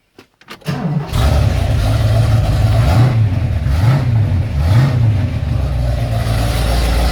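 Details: Ford XC GXL with 351 V8, carburetted, cold and not warmed up: brief crank, catches and settles into deep steady even idle, no knocks or misses; choke later judged too rich; normal idle.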